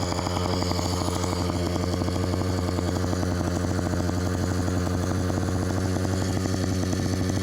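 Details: Phantom 85 two-stroke engine with MS460 piston on a motorized bike, riding: fast, steady buzz never dropping to a low tickover; idle set too high, carburetor needs adjusting to idle down.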